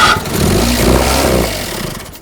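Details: 1975 Pontiac Astre, first start after sitting 20 years in a field: engine catches with a short rough burst of firing, then winds down and dies within about two seconds; starts then stalls, cause not confirmed.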